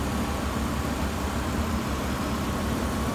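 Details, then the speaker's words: 2004 Hyundai Santa Fe 3.5L V6 with 198,000 miles, no smoke: smooth, even low idle with steady rumble and no knocks, ticks or misses; engine runs excellent, normal idle. "Stock number 190318. Santa Fe. 3.5, runs excellent. 198,000 miles."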